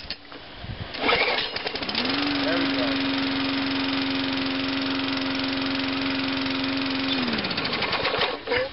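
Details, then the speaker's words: MTD Yard Machines 3-in-1 mower with a Tecumseh engine, found in the garbage, cold start after three primes: fires after a couple of pulls and settles into a steady, even drone; normal cold start and run. "run like it's brand new"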